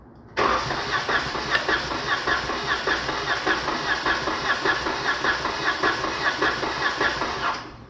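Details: 2019 Dodge Charger 3.6 with code P0302 and loss of power, cranking during a compression test. Even starter cranking with steady pulses under two per second; cylinder 2 reads low compression from a bad cylinder head.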